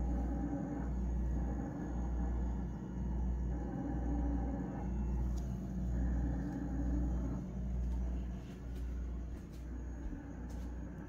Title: Whirlpool grinding noise.